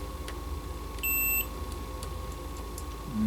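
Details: 1982 Bally Midway Robby Roto arcade CPU board, multimeter continuity check at the base of transistor Q6, pin 20: clean steady beep about half a second, then another; continuity showing that pin is shorted.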